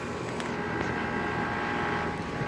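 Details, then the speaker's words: 2018 Goodman air conditioner condenser: smooth, steady hum with faint even tone, no rattles or grinding; really quiet, like a Carrier or 2005 Trane. "well and this goodman sounds like a the carrier it's really quiet and it almost sounds like the 2005 rain how it sounds like Coppola scroll"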